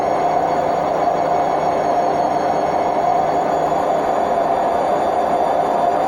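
Loud, constant roar with a steady whine riding on top through the spin, no let-up; worn drum bearings.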